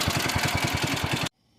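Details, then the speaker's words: 1961 International Harvester Cub Cadet Original Model 70 garden tractor, 7hp Kohler single-cylinder, revived after sitting many years, warm after a test drive: steady even chugging about ten beats a second at idle, then cuts out; healthy normal idle. "Yeah, overall, pretty good machine. She does the JOB. This is idle."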